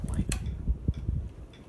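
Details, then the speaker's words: Running ceiling fan in a home, one being a 2015 Hampton Bay Littleton: uneven light ticks several times a second over a quiet motor whir; owner suspects a bent-out-of-shape part causes the annoying clicking. "kind of bent out of shape just makes this annoying clicking"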